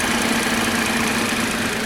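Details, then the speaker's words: Sludged engine with no oil change for 4 years, running on flush fluid: a busy idle with a faint tick and slight unevenness that comes and goes while slowly settling. Lifters are suspected, not confirmed; traction and check-engine lights are on. "It's slowly settling down a little bit. It keeps coming back with a little bit of unevenness. I'm wondering whether or not the lifters are starting to try and do their thing."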